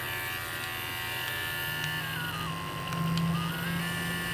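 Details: Andis Supra ZR or Pulse ZR clipper (1800–3800 or 2500–4500 rpm), after replacing the motor and circuit board: steady, even electric buzz with clean constant pitch, no rattle or labouring; runs strong and healthy.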